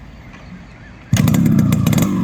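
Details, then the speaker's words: Restored and serviced Yamaha RXZ two-stroke with a custom-made silencer: fires into a crisp, buzzy run with a steady, even crackle from the pipe; normal exhaust note. "இப்போ இந்த வண்டி beat சவுண்டை கேளுங்க, எப்படி இருக்குன்னு மறக்காம comment பாக்ஸில் சொல்லுங்க."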